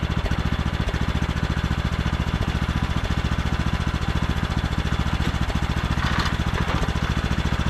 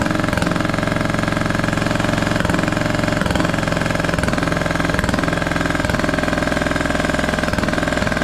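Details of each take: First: Craftsman T1200 riding mower with foot-pedal drive, oil just topped off: even, steady single-cylinder beat with no misses, knocks or rattles; runs super smooth, normal running. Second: Scrapyard Craftsman T1200 riding mower, first start on old gas with a substitute spark plug: loud lumpy chugging with uneven pulses and gurgling edge, compression seeming very high; owner may check valves.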